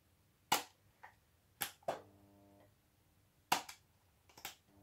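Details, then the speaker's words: Cleaned 65 W single-tube fluorescent fitting, tested without earth connected: sharp irregular starter snaps about a second apart, each with a brief low hum as the tube tries to strike; ballast noise clearly heard during ignition and vibrates loudly in some positions. "Au moment de l'amorçage, on entend vraiment bien."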